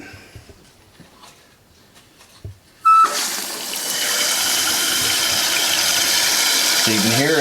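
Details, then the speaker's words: Toilet after fill valve replacement to fix a running toilet, water turned back on: after a quiet start, water rushes in with a steady, even hiss as the new valve opens. Normal refill; checking for leaks. "you can hear it's filling. I'm going to check for leaks."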